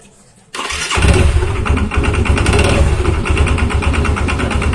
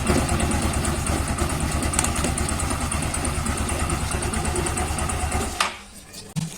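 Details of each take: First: Yamaha Xeon scooter after replacing the starter one-way clutch: it starts and runs with a coarse, rapid rattle from the CVT belt-drive side over a low engine rumble. An incorrectly installed or missing part is suspected, unconfirmed. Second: Yamaha Xeon CVT scooter that ran noisy after a wrong one-way starter clutch was fitted, now with the correct part: even low putter at idle with no rattle, then clean shutoff; noise gone, normal idle.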